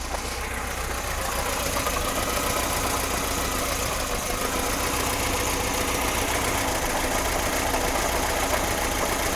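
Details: VAZ 2106 at idle, chain just replaced and tensioned: loose knock about three beats a second, sounds like bearing shells but unchanged when spark plug leads are pulled; source not pinned down.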